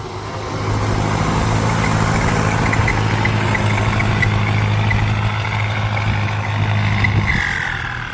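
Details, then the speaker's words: Ford 5000 (68) turbo diesel tractor pushing soil under load. Deep diesel pull under a clear, high turbo whistle that holds steady, then sweeps down as the throttle closes. Normal, healthy turbo whine. "หอนดีจังเลยเสียงคางดีจังเลยอ่ะ"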